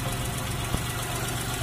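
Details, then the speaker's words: Chevrolet Shark 800cc front-wheel-drive engine just overhauled and refitted, first start: short, even low idle with steady beat, no loud knocking or ticking apart from one small tap; freshly rebuilt engine idling normally. "mesin hidup teman-teman ya."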